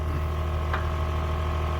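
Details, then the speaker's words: Audi Q7 with engine idling after air suspension compressor and valve block replacement: steady low hum with unchanging pitch as rear then front rise slowly; normal compressor running. "I can hear the compressor going. Yeah, front's going up nice and slowly. So far so good."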